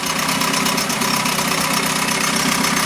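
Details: 1971 Mercury outboard (listed as 7.5, also called 72 horse) revived after coil and points work; cover on, steady even quick-firing idle with no misses or knocks; runs like a dream.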